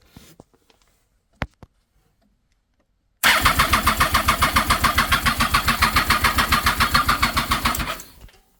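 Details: 2007 Triumph Daytona 675, cranks but won't start. Spark on all three plugs and the injectors spray with syringe-fed fuel. Starter cranks evenly with no firing. Owner suspects a weak fuel pump giving low rail pressure.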